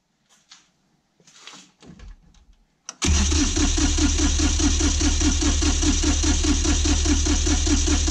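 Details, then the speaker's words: Kioti CK20HS diesel tractor that loses fuel prime after sitting: the starter cranks steadily at about four beats a second but it never catches; no start, and the lift pump is found not to be supplying fuel. "Okay, so it's not starting. So the first thing I want to check is if my lift pump is supplying fuel."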